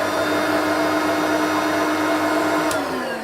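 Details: Vacuum cleaner recovered from the tip (Turbomaster among them), switched on at the handle: steady even motor whine with constant pitch, no rattles, catches or surging; running normally, headlight also works.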